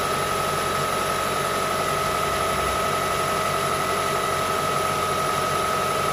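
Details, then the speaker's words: Engine idling and revved after replacing a noisy drive belt tensioner, idler pulley and belt: the earlier pulley bearing noise is gone, leaving a smooth, steady idle with a faint squeak from the new belt, expected to settle. "So the noise is gone, like the noise before. Now I try to rev up and to listen the noise. All good, guys."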